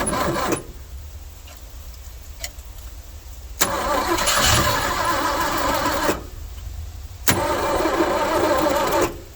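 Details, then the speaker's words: 1971 Ford F100 with FE 360, abandoned 39 years, vacuum advance just fitted: starter cranks in long bursts with pauses but the engine won't start and run on its own without help; cause unknown. "don't understand why it won't start without some help I just I don't understand that don't make no sense"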